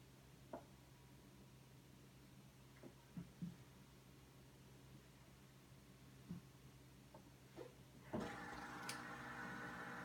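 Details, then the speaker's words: Whirlpool WRS588FIHZ refrigerator, bought 2017: hum and clicks, then a sudden loud buzzing hiss as the ice maker fills the tray with water; Whirlpool calls it normal, owner suspects a bad part or design. "is the sound of the icemaker according to whirlpool that is a normal sound I've had ice makers refrigerators for over 40 years and I've never heard an ice maker make that much noise when all it's doing is filling the ice tray with water"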